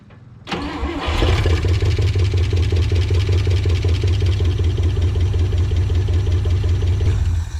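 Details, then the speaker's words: Old truck, last tagged 2005, in a will-it-run attempt: it cranks briefly, catches and settles into a steady idle with a light, fast chatter on the rhythm. It starts and runs pretty good, with a slight chatter. "a little chatter right there but uh yeah she'll run she runs pretty good"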